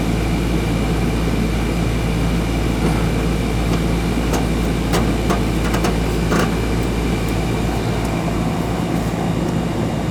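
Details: Newer Ruud AC (2020 install) that had stopped cooling: capacitor good, loose wire connection found and fixed. After repair there is a constant low compressor hum under an even fan rush, with no clatter or buzzing. The system runs steadily and cools.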